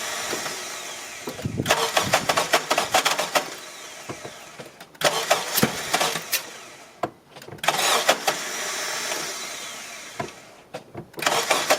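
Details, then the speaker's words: 2001 Honda CR-V with a near-new battery: several crank attempts with harsh metallic grinding from the starter, and the engine never catches; the starter is failing and is to be replaced. "Actually, it won't start anymore. I think the starter is already done."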